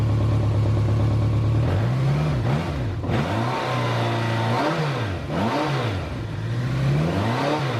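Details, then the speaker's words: BMW K1200LT Icon project bike with new engine temperature sensor, revved after start: revs climb and fall smoothly several times, firing even with no knocks, rattles or misses; engine running normally. "Here, I'll start up the motorcycle. You can hear it running. All the noises are very normal."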